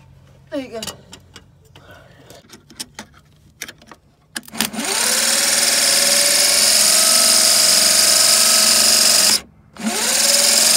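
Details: '65 Chevy C10 with rebuilt starter: twice whirs to a high steady whine with no cranking. The pinion is not fully engaging the flywheel, and the owner thinks the forks were fitted wrong in the rebuild.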